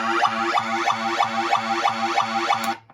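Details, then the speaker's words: Williams Flash pinball sound board on the bench after recapping with a 15,000 µF capacitor; the test button triggers a boingy electronic tone pattern looping about three times a second until powered off, then cutting cleanly. Sound board works normally. "it'll go on like that until I power it off. Soundboard good to go."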